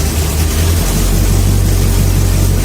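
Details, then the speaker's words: 1969 Plymouth Fury III V8 first start in about a year after fuel problem, new exhaust and headers with uncured paint, carb not yet tuned: deep, steady rumble with even beat, no misfire or knock; normal running. "woo haa all right we got some success and that sounds amazing"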